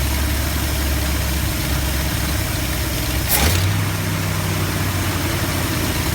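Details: 1972 Ford F250 with 360 V8, after a Pertronix Flame Thrower II distributor install with new coil, cables and plugs and the distributor repositioned: smooth, steady low idle rumble with no lope or miss; normal idle.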